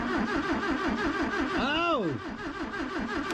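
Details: 1966 Toyota Stout pickup, abandoned and sitting for years, start attempt with spark checker connected: steady starter churn about three cranks a second, engine turning over evenly but never catching; cranks without starting.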